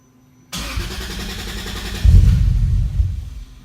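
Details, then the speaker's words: Starter whirs briefly, engine catches cleanly within half a second, blips once and settles; first start of a 3-litre six after a fresh AEM Infinity 506 install with no calibration, idle motor not set up and wrong injectors; healthy normal start. "See, not bad, isn't it?"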